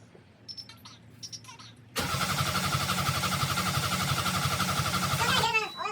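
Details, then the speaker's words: 2007 Subaru Impreza WRX EJ255 after head and head gasket replacement, injectors unplugged, cranking to prime completely dry oil system until oil pressure shows on manual gauge: steady cranking near four beats a second, not firing; normal. "Okie dokie, here goes the first priming of the oil system. Because oil system is completely dry, you want to crank it until you build oil pressure."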